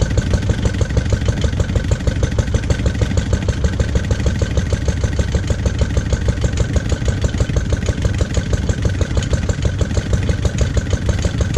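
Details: Lister D single-cylinder petrol engine, first start after 20+ years and restoration: slow beat about 300 a minute, mostly even but slightly jumpy; owner suspects timing adjustment and carb settings needed.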